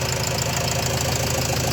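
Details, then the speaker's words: Renault Trafic 2 / Opel Vivaro 2.0 diesel (M9R780) after replacing a piezo injector, started after several cranks to re-prime the pump: smooth, even diesel clatter at idle, no more vibration as before; normal diesel idle. "bruit fluide même d'échappement on a retrouvé un bruit correct"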